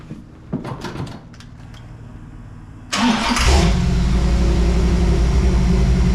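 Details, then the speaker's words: 1978 Toyota Land Cruiser with fresh 350 V8, after fuel-related fixes, morning cold start: a few clicks, then it cranks, catches quickly and settles into a steady even idle with no stumble or misfire; normal cold start. "all right let's do an honest to God cold start first thing in morning Saturday one two way better"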